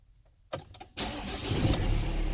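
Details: 2016–2019 Ford Transit MK8 after key programming with a fixed-blade key: a short crank, then the engine catches cleanly and settles into a steady low idle; normal engine start.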